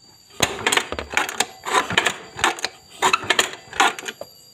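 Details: Neglected Honda Vario 110 (Techno) scooter that no longer starts, very rough engine noise: each kick brings a quick burst of dry rattling clatter, never catches; knocking attributed to worn valves.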